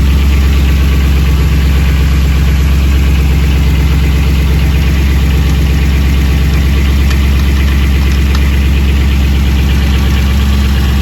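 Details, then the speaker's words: Old Chevy squarebody plow truck V8, started cold after about 20 years, idles with a deep burble through the mufflers and a light, uneven rattle; piston slap from forged pistons, expected to quiet once warm. "someone's got forged pistons so they're a little noisy when they're cold but that rattling that noise that you hear is piston slap that'll cool down once the motor warms up"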